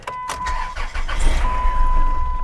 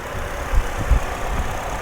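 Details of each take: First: Old, high-mileage salvage-auction van listed as runs and drives: engine catches and settles into an uneven, lumpy low rumble with shaky beats that makes the door bounce; it runs, but poorly, and the cause is unconfirmed. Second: Well-maintained car with an Ecotec engine and no check engine lights: low, steady idle hum with an even beat and no knock or miss; it runs good and quiet, with no blow-by.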